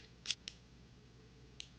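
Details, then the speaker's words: New Taurus 66 Combat .357 Magnum revolver, cycled by hand. Crisp, distinct clicks as the cylinder stop drops into each notch. Normal lockup in proper time; one other chamber is starting to go out of time. "You can hear what it's actually supposed to sound like when it's cycling. Notch. Notch. Notch. Notch. Notch."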